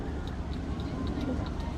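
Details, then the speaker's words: Vehicle whose horn now trips the motor cut-out, 12 V input disconnected while testing the thermal lockout; sharp light ticks about every quarter second over a low hum, relay chattering; fault suspected on the 12 V high-power side. "okay i can hear the relay relaying relaying"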